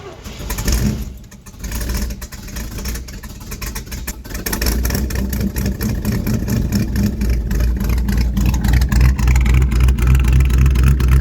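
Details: 1971 Chevy C10 Cheyenne, 350 V8, dual Cherry Bomb glasspack exhaust, cold morning start; uneven cranking, catches and stumbles, then a deep, lumpy idle that slowly steadies; hard cold start.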